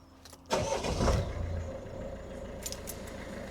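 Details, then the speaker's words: Peugeot Expert van, first start after DIY cambelt change and full service: starter catches quickly, engine fires cleanly and settles into quiet, even idle with no crunching or knocking; quieter than before, normal start and idle. "Oh, sounds all right. To be fair, that sounds a lot quieter than it did when I..."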